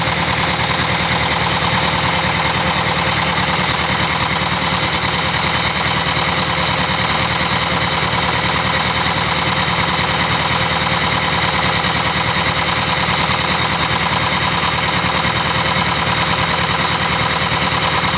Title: Engine Knocking : Penyebabnya ??